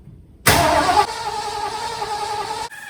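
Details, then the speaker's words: 1974 Ford Bronco 302 V8, sat since 2015, ignition coil unplugged: starter whirs steadily about two seconds, turns over but never fires; no gas from accelerator pump, float bowl dry, fuel pump not pumping or obstruction suspected; fuel starvation. "I'm not saying any gas come out of the accelerator pump what's good man you feed bangs the fill ball is still dry which remain the fuel pump isn't pumping or there's an obstruction or the accelerator pump which doesn't work"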